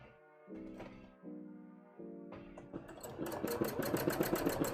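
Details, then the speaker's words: Sewing machine doing thread art: the needle runs at a steady chatter, then the rhythm turns rough and grinding as stitching bogs down and the thread balls into a knot underneath, which recurs occasionally for no clear reason; thread jam. "Oh, no. I didn't like that sound. What happened, huh? You made a big knot, you did."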